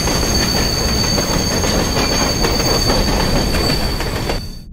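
Loud rail roar with a steady high squeal and rhythmic clicks from the running gear; wheels screeching on track, cause unknown.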